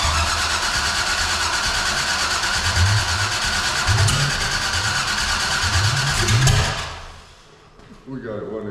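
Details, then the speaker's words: 454 big-block V8 in a Civic, new out-of-box carburetor, temporary systems, early test fire: steady cranking about three turns a second with occasional uneven catches that don't take; fails to start, closed choke suspected. "make sure the choke is open cuz last time we forgot about that and that's probably why I wasn't like giving some banss when he just cranked that sucker open the first couple times"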